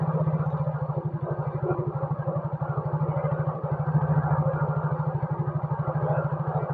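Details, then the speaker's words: Yamaha Mio scooter idling steadily after the idle (stasioner) screw was turned clockwise to fix a surging idle, sensor left connected with no error; even, regular pulsing about three beats a second, no hunting or misses; normal idle. "Nah, kita nyalakan dulu, kita cari stasionernya yang pas. Udah mulai stabil."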